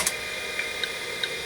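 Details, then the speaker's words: Old 5.25-inch full-height MFM/SCSI hard drive (Maxtor/Micropolis/Seagate) formatting tracks with varying interleave through a diagnostics utility: sharp, evenly spaced head-seek ticks over a steady high hiss, normal operation. "it's behaving and see it there's going through all cylinders and here it's ticking away"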